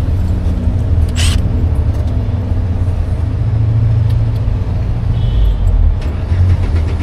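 Steady, even low rumble with no misses or knocks, just a smooth-running engine after it caught and settled.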